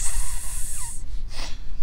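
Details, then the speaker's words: Nokta Simplex Ultra metal detector in mineralized field soil: short bright hiss like sizzling bacon, then fading breathy noise; normal target tone sizzle over a target. "can you hear the hiss it's like a sizzling bacon"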